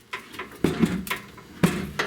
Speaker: popping like that that just mean that this hinge needs to be greased up guys so if your door is popping guys don't don't let it you know keep messing around and staying like that